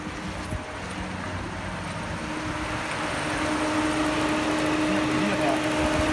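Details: Peugeot 308 overheating with erratic fan control, ECM not controlling fan; with a sensor plug disconnected the radiator fan runs steadily: constant hum building to an even whir, fan running at full speed; fault traced to fan control.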